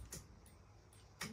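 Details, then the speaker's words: Ford Falcon AU: faint sharp rapid clicks with no cranking when trying to start; starter not getting enough current because battery terminal wires had thinned out; pushing them closer together restored current and it started. "nothing no power see it's clicking in here it's clicking in"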